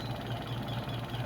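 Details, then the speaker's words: Filipino washing machine spin dryer after repair; customer had complained of a creaking (langitngit) spin, possibly from bearing or belt. Suspension checked and found fine; the problem was the shifting and dashpot. Steady low hum with gentle even pulse, no squeak: creak gone. "So wala na yung langitngit guys. Wala na yung langitngit. Ayan oh. Wala ng langitngit."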